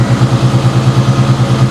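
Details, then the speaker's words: 1994 Chevy C1500, 269,000 miles, carbureted built V8 (BluePrint Engines receipt), fuel pressure about 6-7 psi: deep even idle lope with steady low rumble, no ticks or misses; runs like a top. "boy it sounds good fuel pressure let's see what that's sitting at six 7ish PSI this thing runs like a top man"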